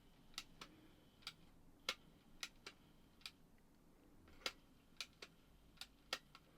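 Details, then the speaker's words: Sanyo MGR87 1980s auto-reverse personal radio cassette, after belt replacement, no tape in: sharp clicks about twice a second, no tape run; auto-reverse keeps cycling; owner suspects greased-up cam or auto-stop/changeover mechanism, or belt routing. "okay it keeps getting stuck in Direction Change mode is that because there isn't a tape in there let's have a look no no it just keeps changing direction"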